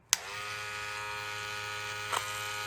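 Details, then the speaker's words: Wahl 108 hair clipper with worn blade, test after blade change: loud, steady high-pitched buzz with a rough, rattly edge; noise somewhat improved, but worn internal parts keep it noisy. "Mas o mais importante aqui, ó, aqui tem peças desgastadas. Claro, vai ficar barulhenta."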